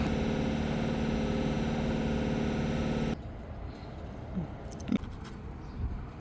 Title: 1987 Ford Mustang GT 5.0L V8 -Fluid top off + No start — New battery/ bad battery cable connection.